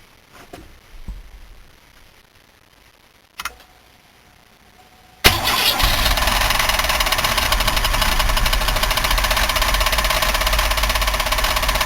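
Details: 1990 Buick LeSabre 3800 V6, front valve cover off: cranks, catches, then loud steady knock about three per second at idle; heavy internal knock, source unclear (bearing, lifter or rod suspected), engine considered trashed.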